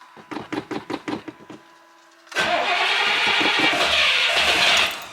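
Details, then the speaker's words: Carbureted vehicle at startup, given accelerator pump shots: about eight slow cranking beats fade, then a louder churning burst follows without a settled idle. It seems to need more fuel, not less; cause not confirmed. "Almost. Now she needs more gas, not less gas."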